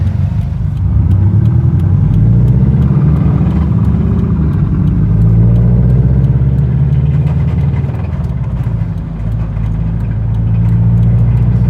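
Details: 2013 Scion FR-S engine before rebuild, the engine that blew: drone rising and falling with revs, faint regular ticking on top; abnormal, clearly unhealthy, exact fault not stated.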